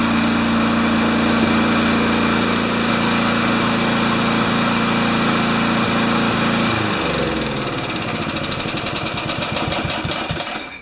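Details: Craftsman mower with Kohler engine after service; the small engine holds a steady, even speed for several seconds, then shuts off and winds down. Running normally.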